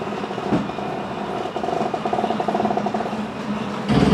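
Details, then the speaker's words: 2021 Starcraft Autumn Ridge 26BHS travel trailer slide-out: motor hum turns into quick even clicking ratchet at full travel, the normal clutch slip that prevents over-extending or over-retracting; release the button when heard. "So you just want this to go out till it starts ratcheting. You'll hear it in a second. It does that going in and coming out, so you can't overextend or over retract it."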